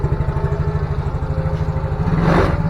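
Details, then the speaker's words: Yamaha Mio J that stalled from lost compression as valve clearance tightened when hot, after valve work, oil-leak repair and oil change: first restart starts immediately, settling into steady even idle thump with no popping or misses. "Oke, langsung jalan ya. Sudah ada kedipan juga. Tidak ada sap ya."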